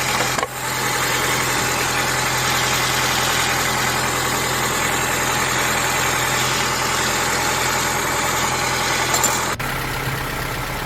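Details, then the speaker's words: Honda Element SC with a newly installed rebuilt engine replacing one with blown head gasket and warped block, first start: steady, even idle with no misses, slight tapping suspected from rocker arms needing adjustment; running well. "Well, she she's running good. She sounds good. It sounds good."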